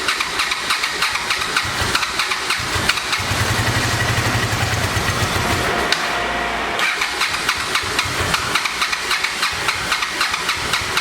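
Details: 1986 Honda VT500 Shadow V-twin, revived after years sitting, earlier ran only on front cylinder: starter whirr, then lumpy uneven popping idle as it catches; rear cylinder not firing, owner suspects ignition coil or mice-eaten wire, checking spark.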